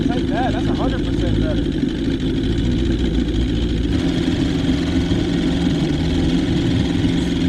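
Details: 1977 Johnson 115 outboard on the water after new CDI, coil packs, reed valves, fuel lines and cleaned carbs idles with a steady, even low burble, no misses or surging; idling properly, the reed valves weren't the problem.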